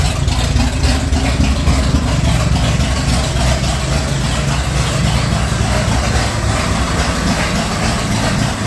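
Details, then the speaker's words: Ford Bronco V8, first start after sitting about three months on old fuel; heavy, uneven idle with a lumpy, wavering beat and stumbling, sounds like it's loading up, rough idle with cause unconfirmed. "sounds like it's loading up a little yeah"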